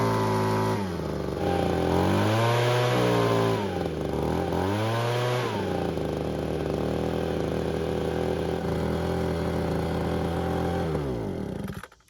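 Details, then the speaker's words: Ryobi leaf blower that wouldn't start, after replacing the ignition coil (the original's boot was damaged) and refuelling, with the choke not fully off; it catches at once, revs, then holds a steady high buzz, starting and running healthy. "And as you just saw, it started right up as it should have, which meant our gamble to replace the coil was correct."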